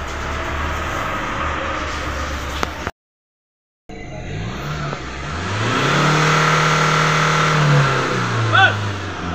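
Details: Ford Ranger that cranked but wouldn't start with no check-engine light at key-on, after fitting a new sensor (called a "csap" sensor): catches after a short crank, revs smoothly and settles, running clean with no misfire; normal start and rev.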